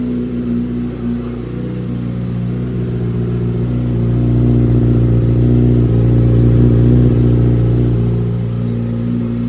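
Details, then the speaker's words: 2005 Yamaha R6 (YZF600) project bike: revs climb smoothly and ease back with even note, no knock or rattle; earlier sounded terrible, possibly something loose, still blowing some oil smoke. "this thing was sounding really terrible just a few minutes ago"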